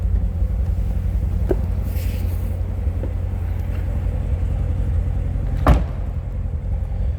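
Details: 2017 Chevrolet Corvette Z06 with 3,142 miles, no warning lights, everything working: steady, even low V8 rumble at idle with no knocks, misses or ticks; smooth, healthy idle.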